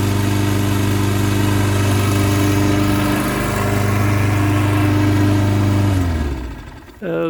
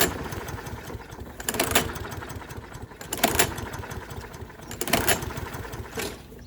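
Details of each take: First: Toro 6.75 HP 149cc self-propelled mower with a Kohler engine, after bad gas and an added fuel shutoff. Steady, even drone for six seconds, then a clean wind-down at shutoff; healthy running. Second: Toro 6.75 HP 149cc guaranteed-to-start mower with a Kohler engine, not starting because of bad gas. The air filter was fine and it had fired once. Three pull-cord cranks about 1.7 s apart, never catching: no-start from stale fuel clogging the carburetor.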